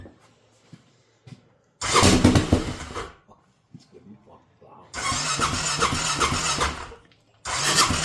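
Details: Honda Rincon 650 ATV just rebuilt with new cam, fuel line freshly reconnected and needing priming, fuel tap on reserve; three cranking bursts each catching a few quick pops then dying, won't keep running, hard start.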